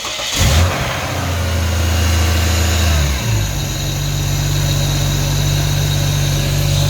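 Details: Ford BF Falcon F6 turbo started for about 20 seconds to check for leaks, after fitting a modified flapper rear turbo housing and new thermostat housing seal. Starter turns briefly, a small rev, then a steady, even low idle with no knocks or rattles.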